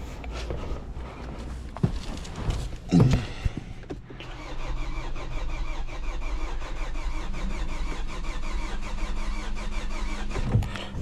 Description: We have here a 2011 Hyundai Sonata that is a crank no start..